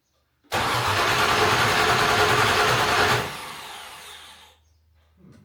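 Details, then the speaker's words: Land Rover Discovery 2 LS-swapped engine on first start after the swap, low fuel light on: starter spins the engine evenly at about three and a half beats a second but it never catches, then winds down; crank, no start, suspected out of fuel. "Says low fuel. So the Golden Rovers box is flashing green, which is good. The low fuel light is on though. I wonder if this thing just ain't got no gas in it."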